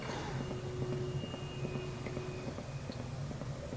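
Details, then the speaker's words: Fosi Audio TP02 subwoofer amplifier that worked before being boxed and stored, powered up with no music: soft uneven clicks about once a second through the woofer, no output; adapter sparks on plug-in, cause unknown. "it was working fine and i disconnected everything and put it back in the box and set it on my shelf and then i wanted to do an online demo sound demonstration and when i plugged it up this happens"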